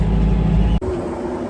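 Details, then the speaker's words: Farm grain dryer, which had been shutting down, running again after its linear actuator valve was replaced: a heavy, steady low roar with no cutting out or surging. Normal running after repair. "Hear that noise? That means it's working again. So they replaced the actuator."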